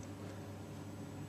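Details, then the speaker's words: Baxi combi boiler with a newly fitted burner: a low, steady hum with no roar, rattle or pulsing, much quieter than before, running normally. "we got the new burner on Monday this is so much quieter"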